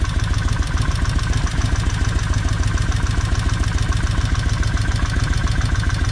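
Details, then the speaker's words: Kawasaki Vulcan 1600 V-twin, fourth 30-minute idle run: steady idle, light regular tick over low thump; valves much quieter, but one on the very front still clicking; oil change still due. "And them valves have really quietened down some. It's still got one on the very front that's clicking still. But anyway, let's see how it's going to sound. I can still hear this one up here clicking."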